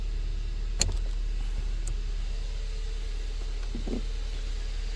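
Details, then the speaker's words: 2018 Kia Soul, an accident-damaged Copart rebuild, after clearing MAP and TPS codes: steady, even low idle with faint clicks and no misses, much better than the earlier dying idle; normal idle. "Oh yeah. That sounds so much better than it did before. It was just like kind of dying before."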